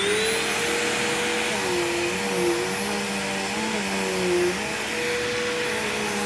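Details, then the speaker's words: Bagged vacuum unused about a year, old bag still inside and smelling, both belts changed long ago: smooth even motor whine, steady pitch, no belt slapping or squeal; belts have aged gracefully, running normally. "just like the sanitary of the belts on this machine has aged very gracefully as well even though I changed both of these belts much longer a much longer time ago than in the power lifter"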